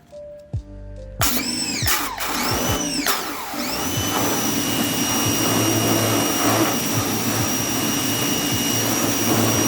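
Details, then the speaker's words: Ryobi 1600 PSI electric pressure washer: after brief start-up, a steady high motor whine holds even under spray with no surging or rattles; normal operation. "It's really powerful. This thing is amazing."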